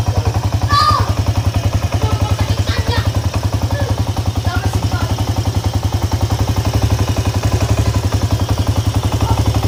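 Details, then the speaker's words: Honda EX5 Dream single-cylinder motorcycle at idle and revs: loud hard knocking about three and a half beats a second, following revs; suspected loose flywheel (magnet) nut or two loose cam sprocket timing screws. "nat nat magnet ini longgar not magnet ini longgar boleh jadi suara engine bunyi kasar macamnya"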